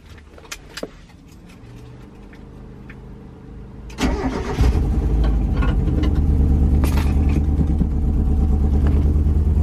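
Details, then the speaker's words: Gutted NA Miata with engine bay deletes, started after a new shift boot was fitted and low on fuel; brief crank, then a smooth, even idle with a steady low pulse; the boot cut a lot of cabin noise. "Yeah, that actually deadened a lot of sound from the cabin, which is crazy."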